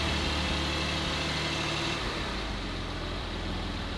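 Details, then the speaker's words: Salvage-rebuilt 2020 Porsche Cayman 718 GT4 on cold start. The louder cold-start phase is not very loud; a low, even burble settles into a quiet, steady idle with no knocks or misses. Normal idle. "that is the cold start like louder part i think that is not loud at all this actually sounds like a porsche now it's just radley and quiet"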